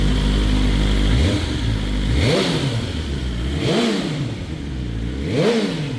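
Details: BMW S1000RR first start after oil plug came out and oil went everywhere: catches and settles, three clean throttle blips back to idle, no knocks or rattles; healthy.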